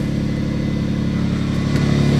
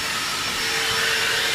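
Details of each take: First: Infiniti G35X on the coldest day of the year after repairing multiple exhaust leaks: even, deep exhaust note rising smoothly with revs, no puffing or ticking at the manifold; now sounds like a normal car, leaks fixed. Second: Infiniti G35X exhaust on the coldest day of the year, with air blown into the pipes: a steady rushing hiss with a faint whistle. Holes found in both exhausts right behind the catalytic converters; exhaust leak.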